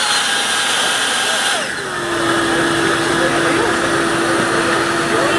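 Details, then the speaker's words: Black Diamond Jetforce avalanche airbag pack, deployed with green light in recovery mode: small fan spins up to a steady high whine over rushing air, pulsing to keep adding air to the bag as designed. "so on the turn system back on deployed the back since I have a green light so now it's gonna be in this function recovery state it's gonna gonna keep pulsing and keep adding air to the best"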